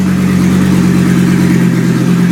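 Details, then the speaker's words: 2004 Colorado 3.5L five-cylinder running on a pallet, wired up with a few wires, comes down off high idle to a steady, even, smooth low-hum idle with no misses, knocks or ticks; healthy normal idle. "Nice and smooth."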